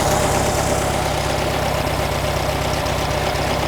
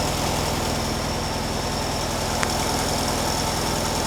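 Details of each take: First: 1957 VW Beetle air-cooled engine at idle around 950 rpm; steady low pulse that rises when the carburetor throttle shaft is sprayed, intake showing little change; throttle shaft vacuum leak. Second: 1957 VW Beetle air-cooled engine warming up on choke while waiting for the automatic choke element to heat and open; steady, even idle with soft rapid patter, no misses or knocks, sounds fine.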